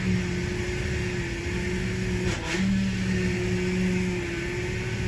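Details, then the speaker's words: Power steering bleeding with engine running, wheel turned lock to lock ten times: steady whine from air in the fluid, swelling as the wheel turns and getting quieter with each turn. "okay now you can hear that winding sound going so you'll want to go all the way over until it hits to the right back to the left"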